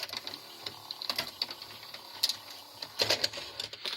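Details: Grandin 2-head multi-standard VCR, model 97, with a cassette inserted: irregular bright clicks and ticks as the tape mechanism keeps cycling without settling; a mode switch fault is suspected.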